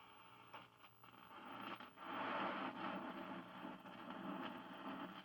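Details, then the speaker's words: 1957 General Electric 14S208 black-and-white vacuum tube TV, donor chassis with raster and signal applied: uneven rushing hiss with scratchy surges, no clean tone; audio static, tuner thought to need cleaning. "We have raster. Sounds like I have some kind of static there."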